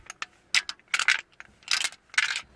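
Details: Citroën Nemo with SensoDrive semi-automatic gearbox, not starting or engaging gears; newly bought replacement actuator gives short bursts of loose metallic clinking each time it moves, indicating loose internal parts, so it is faulty and not fitted.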